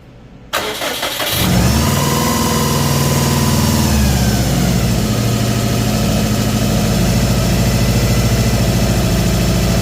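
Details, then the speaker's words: Subaru WRX STI EJ25 2.5L boxer with timing cover off cranks, catches and settles to rough idle with a steady rapid knock; bought already knocking; hydraulic timing tensioner failure suspected, not confirmed. "this is that engine knock we had problem when I picked it up I know it was knocking already"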